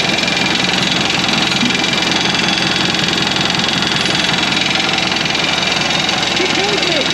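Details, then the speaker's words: 1991 Land Rover Defender 90, Turner Engineering remanufactured 200TDI diesel, first start: loud regular clattering rattle at low idle, about two to three knocks a second; owner thinks idle is set too low, smoothed with a little throttle; 50 psi oil pressure. "i think the idle set a little low that's why it was rattling so bad when i gave it a little bit just a little bit of gas it smoothed right out"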